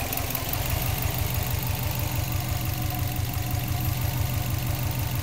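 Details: Subaru Bugeye WRX idling with a fairly quick, somewhat uneven ticking, about three a second, over the low engine rumble; cause unknown.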